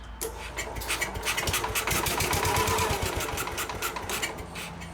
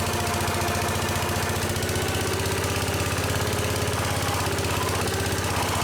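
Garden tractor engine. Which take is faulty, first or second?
first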